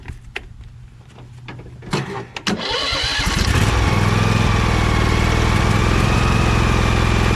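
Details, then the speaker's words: Husqvarna 2346XLS lawn tractor after the second ignition switch was removed and its two black wires joined; a few clicks, a short crank, then it catches into a smooth, steady thumping idle with no misses while stator charging is checked; normal start and idle. "we'll find out right now while bill is starting the engine to see if it starts and shuts off while the engine's running i'm gonna test and see if it's charging"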